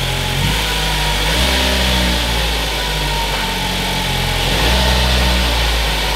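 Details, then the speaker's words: 2015 Ford Focus after new transmission actuators and throttle body cleaning: starts first time and settles to a steady idle with light revs, no knocks or misses; previously would not start. "start it up first time when it didn't have the actuators done holy smokes she wouldn't start at all and now that the throttle body is clean and I have new actuators in there sounds great"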